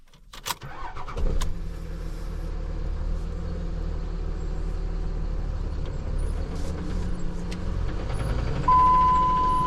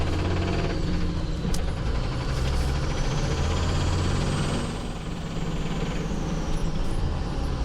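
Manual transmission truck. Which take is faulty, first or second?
first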